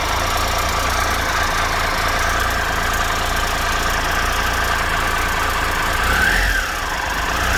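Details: 2013 Triumph Tiger Explorer, 34,000 km, idling after new cam chain, hydraulic tensioner and header gaskets: steady idle with only a light, even top-end tick and no rattle, no excessive ticking; normal idle.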